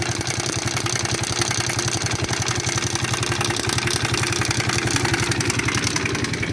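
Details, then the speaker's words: Shineray 50cc motorcycle engine with a knocking noise: a fast, even metallic rattle of about four beats a second while revving. The mechanic suspects a worn cam chain, possibly a blown bearing or the connecting rod. "isso é tá parecendo corrente de comando que não for abri ela algum rolamento estourado"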